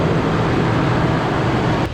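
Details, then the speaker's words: Engine a repair shop said needed replacing, idling steady and even with a smooth low hum, no skips, knocks or tailpipe smoke; sounds healthy. "Wow, what a sigh of relief. This engine sounds really good. It's nice and healthy."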